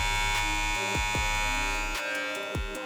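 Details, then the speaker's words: Madeshow M15 clipper with the Zircon blade, which fits well; mic held close. Steady motor buzz with blade chatter, a little low and sluggish; owner notes it seems to run slightly slower, on a machine already not fast. "Lo único que he notado es que parece que sonara un poquito como si se hubiera puesto un poquito lenta."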